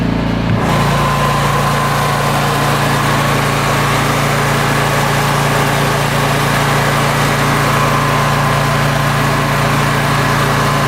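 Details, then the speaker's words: Standby generator running full load outdoors at about 5 °C with the lid closed; steady even drone, low hum and fan rush, no knocks or misses: normal running under load. "It's not very noisy. You can't even hear it in the house. It's only a purr here, and the generator's running full bore."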